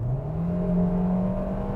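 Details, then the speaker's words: 2020 Hyundai Venue Elite, 1.6-litre naturally aspirated petrol engine (90 kW), front-wheel drive, heard inside the cabin while accelerating: a coarse, droning engine note climbing in pitch. It is loud and unrefined but normal for this engine, which has weak pickup. "Oh, that noise is terrible. It sounds so bad inside the cabin."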